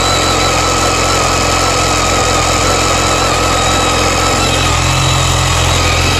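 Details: BMW K1300S motorcycle engine running with a thin, steady high-pitched screech over the mechanical noise; owner asks if normal; source unclear, check further.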